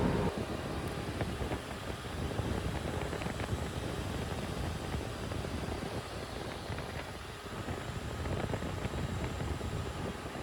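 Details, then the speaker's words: 2023 Tata bus AC with EP fault, four condenser fan motors cleaned, repaired and refitted: constant low whoosh and hum at high speed, smooth, no rattles or scraping; normal fan operation. "ਆਪਾਂ ਇਹੀ ਚਾਰ ਮੋਟਰਾਂ ਨੂੰ ਵਧੀਆ ਤਰੀਕੇ ਨਾਲ clean ਕਰਕੇ repair ਕੀਤੀਆਂ ਤੇ ਉਹ ਫਿਕਸ ਕਰ ਦਿੱਤੀਆਂ ਪ੍ਰੋਪਰ ਚੱਲ ਰਹੀਆਂ ਨੇ ਬਹੁਤ ਸਪੀਡ ਨਾਲ"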